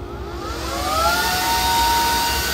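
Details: Homemade turbo for a Vario turbo build, no blow-off valve, spun up on a freshly charged battery to measure boost: high whine climbs smoothly and holds a steady rushing tone; normal spool-up.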